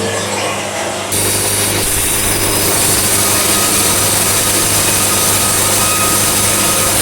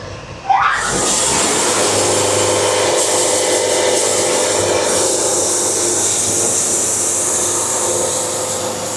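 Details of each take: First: Bandsaw sawmill on narrow boards, governor released and feed speed raised several notches to pretty high: steady high saw hum with even cutting hiss, smooth under load; normal cutting tone, almost no sawdust, 5 1/4 inches per band revolution. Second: Bandsaw sawmill cutting a board at very slow feed, about 5 bars: steady hissing rasp with constant droning hum; band resonance from slow feed leaving a lot of wave in the board.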